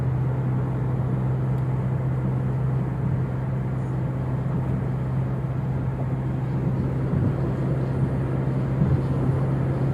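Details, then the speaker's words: Toyota Innova Reborn on a toll road at 100 km/h after removing the roof rain gutter (talang air): low, steady road drone in the cabin with no rushing or whistling wind, so the owner suspects the gutter causes the wind noise. "Oke teman-teman, setelah kita tadi mencoba trial untuk talang airnya kita lepas, ternyata setelah saya tes di jalan tol untuk kecepatan 100 pun itu suara angin yang biasa kita dengar itu tadi nggak ada ya."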